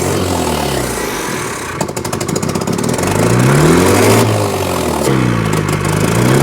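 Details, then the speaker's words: 1983 Toyota 4x4 pickup, 22R 4-cylinder carbureted, revived after 10+ years sitting, running on its own after fuel filter work: revs hunt up and down in choppy surges every second or two; carburetor keeps flooding over, owners plan to take it off. "it keeps trying to flood over it it has little spurts of trying to act up blood over"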